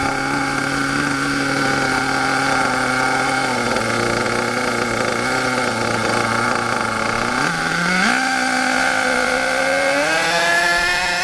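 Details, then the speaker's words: HPI K4.6 nitro engine in a Savage 21 monster truck: a steady buzzing engine whose pitch steps up twice as the high-speed needle is turned slightly clockwise, leaning a rich mixture for more power. "did you hear the difference the tone and the pitch was higher cuz it was a bit more power a little bit less fuel going in more power"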